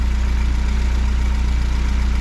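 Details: Fiat 124 Spider 2000 with good replacement coil, idling near 800 rpm, timing 10 degrees, vacuum advance disconnected; steady even beat, no misfires; old partially working coil had caused no idle below 1100 rpm and carb backfire.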